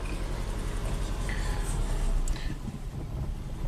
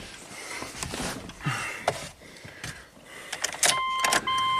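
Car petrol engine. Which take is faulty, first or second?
first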